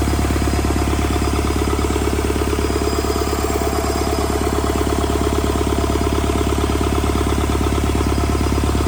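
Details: Rebuilt Doosan D34P diesel for a Bobcat S770 track loader, in a performance test after the rebuild: a strong, even beat of close to two firing pulses a second with no misses or knocks. Normal running.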